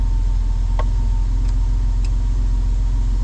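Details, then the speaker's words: Old Toyota 4Runner after major engine repair for no compression on two cylinders: steady low rumble with even beat, no misses or knocks, idle finally dropped down off high idle; normal idle. "And also the idle has actually dropped on down now to where it's supposed to be."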